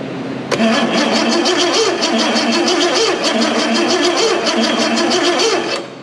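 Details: Bentley Turbo R V8 being set up on a Link Monsoon ECU: even, quick starter cranking at about three turns a second that never catches, with no spark on at least one cylinder; timing check at number one planned.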